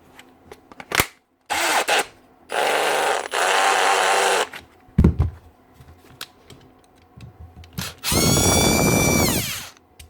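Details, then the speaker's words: Milwaukee M18 Fuel brushless drill running in short bursts with rough gritty grind under whine, from failed front rotor bearing; fixed by pressing on a new 625 bearing. "Bearing shot. That one's okay. That one's gone."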